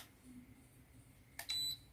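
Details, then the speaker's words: Turbo Racing RC remote unboxed new and switched on: its blue light comes on and a single short high beep sounds, followed by quiet; the normal power-up signal. "Kalau ini kita hidupkan, nah ini ada lampunya hidup warna biru, terus ada bunyi beep."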